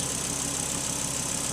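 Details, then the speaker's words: Volvo S80 turbo engine idling smoothly right after throttle body cleaning and battery reconnection; no hunting or surging, throttle adaptation instability expected only 10-15 seconds didn't occur. "but this instability should not last more than 10-15 seconds then the motor should run smoothly"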